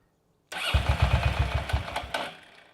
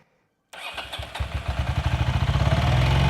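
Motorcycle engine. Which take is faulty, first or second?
second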